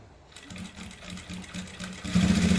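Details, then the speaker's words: Sewing machine stitching a thick folded seam (six layers of thread): steady heavy thudding knock growing louder as the needle forces through, risking needle breakage; fix suggested is soap and machine oil on the cloth. "ते पहा अस ठक ठक ठक ठक ठक मशनचा आवाज येत आहे"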